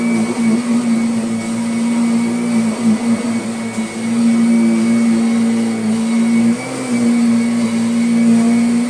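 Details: Kirby Sentria 2 vacuum on carpet after replacing the very slack tech drive belt that caused odd noises: steady, even hum with a constant motor tone and no clatter or slipping; the drive runs normally.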